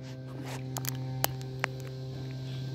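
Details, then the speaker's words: Landline call on a noisy central office battery supply: constant low hum under the line with a few sharp clicks; hum attributed to the noisy, unpredictable central office battery supply. "yeah it's the noisy central office battery supply this central office supply it's totally unpredictable"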